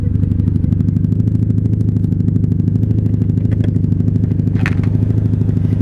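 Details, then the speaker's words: 1997 Honda Magna 750 VF750C V4, rebuilt after a wreck, first ride of the season, idling at a gas pump before a non-ethanol refill: steady even low rumble with smooth unbroken beat, no knocks or rattles; sounds good, normal idle. "Yeah, she sounds good. I'm not gonna turn her off though."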